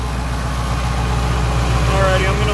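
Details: 1988 GMC 7000 with naturally aspirated 8.2L Detroit diesel, running again after a crank-no-start (died while driving): deep, even idle with steady firing pulses, no knocks or misses; healthy normal idle.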